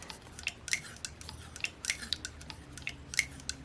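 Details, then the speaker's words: Saito four-stroke model engine (FA-130T) turned by hand: light crisp uneven clicks from the rockers, no bearing noise or roughness; normal valve rocker clicking. "so I don't hear any bearing noise at all I don't feel anything that sounds rough now that clicking clicking clicking sound you're hearing is the rocker is all"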